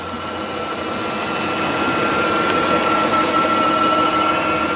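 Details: 1996 Chrysler Sebring Convertible JXi, V6, under the hood: steady, smooth idle with a faint constant high whine, no ticking valves or knocking; normal idle despite a suspected leaking valve cover gasket burning off some oil smoke.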